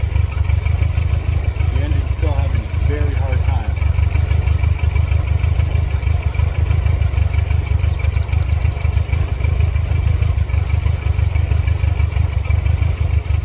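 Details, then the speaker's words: 1999 Mercedes-Benz C230 Kompressor (W202) with flashing check engine light and stalling, restarted with throttle body, MAF and idle air control plugged back in: low, uneven, hunting idle that stumbles, then throttle response returns; stalls under load afterward, cause unknown. "Low idle at first, trying to figure out what's going on. Changing a little bit. Have throttle response back."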